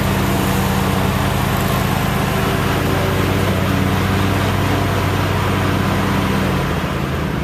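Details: About a year old commercial Toro zero-turn mower, twin engine, run outside after a no-start repair with the old spark plugs still in: steady drone with a lumpy beat about 220 a minute that keeps stumbling, as if a cylinder is skipping; cause unconfirmed.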